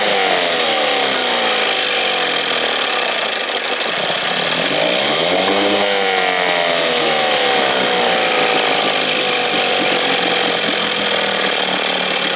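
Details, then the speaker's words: 1968 Evinrude 6 hp two-stroke outboard, heavily choked: loud buzzing note that sags then surges instead of holding speed, then quits; rough running from flooding carburetor full of gas, plugs soaked black. "oh no is it off not working right or what"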